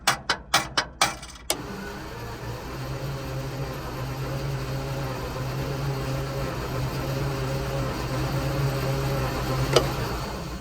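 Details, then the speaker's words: Centurion ARV after magneto ignition timing was set and coolant topped up to satisfy the coolant switch: a few clicks, then strong, even starter cranking that never catches; valves next to check. "Okay, let's try again. Certainly cranking over like hell."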